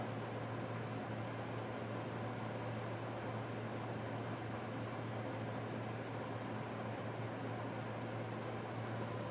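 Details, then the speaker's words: Wall unit on a cool night (about 40°F forecast) at the start of heating season: thermostat raised past 70 until heat kicks in; steady low hum with smooth airflow hiss, no rattles, surging or clicking; normal heating operation. "Turn the temp up again so the heat starts. Let's see if we get it at 70. Nope. Gotta go up a little higher. There it goes. And it's getting warm."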